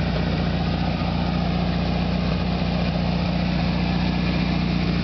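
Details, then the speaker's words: 1973 VW Super Beetle, rebuilt original 1600cc engine with about 150 miles, carburetor cleaned and idle freshly adjusted; fires right up into a loud, steady low throb at even warm idle around 800 rpm, no misses, knocks or hunting: normal idle. "Fires right up. as you probably already know, but Volkswagens are very loud. About 20 feet away, and I still have to yell."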